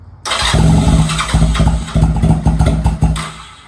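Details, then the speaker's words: Honda Rebel 250 motorcycle first start after 27 years sitting, in neutral, choke fully up; cranks then fires in uneven chuffs that stumble and fade; hard starting, owner suspects fuel not yet circulated. "All right. It wants to. I think there's needs to get some fuel around the car, but fuck, it's gonna start."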